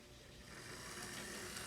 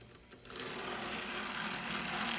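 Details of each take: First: Modified Athearn P42 HO scale locomotive, on track with shell fitted, after modification; even quiet electric whir with no ticking or grinding, smooth running. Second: HO scale model subway chassis running the stock Bowser mechanism supplied with the kit: harsh, high, gritty whir for about four seconds with a rapid ragged buzz; noisy gears grinding, before swapping to an Athearn P42 mechanism.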